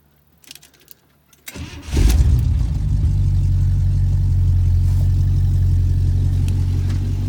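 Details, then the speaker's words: 1976 International Harvester Scout II with factory V8, cold start; brief crank, catches quickly, then settles into an even, deep V8 idle with no misses or knocks; normal cold start and idle. "I'm gonna go ahead and start it for your guys let you hear it run and then I'll show you the engine compartment with the engine running"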